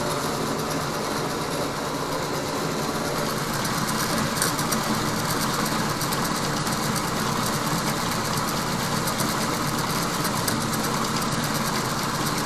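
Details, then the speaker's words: Harbor Freight Central Machinery 4x6 bandsaw with newly added flood coolant, cutting 1/16 inch off 2.5-inch bar stock. Steady motor hum with a constant hiss of blade and coolant, no knocks or squeal; cutting normally. "so I have a chunk of a two and a half inch bar stock and since I don't want to waste a whole lot of material we're going to take like a sixteenth inch cut"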